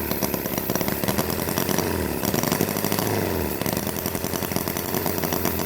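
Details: Holt H75 four-cylinder model engine from StirlingKit on fuel/oil mix, fan blade rubbing radiator shroud, possibly too much oil in fuel; fast even buzzing firing pulses at steady speed, no misses or knocks; normal running.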